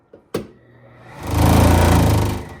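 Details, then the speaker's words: Vent-A-Hood K250HSS2 range hood blower still vibrates slightly at one corner after a cardboard shim and reattaching the loose blower housing. Low fluttering hum, mild buzz and slight rattle that stop when the housing is held tight. Because of the small welded pieces, the unit is deemed not repairable. "I still got a little bit of vibration because of that corner but if I hold it tight you will not get any noise"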